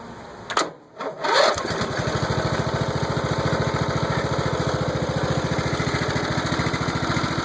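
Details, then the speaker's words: Old Troy-Bilt mower single-cylinder engine, first start after rebuild with valves adjusted (had seized on intake), no choke: a couple of cranking pulls, then it catches and settles into an even, steady putter with no knocks; running smoothly. "That's pretty smooth. What do you guys think?"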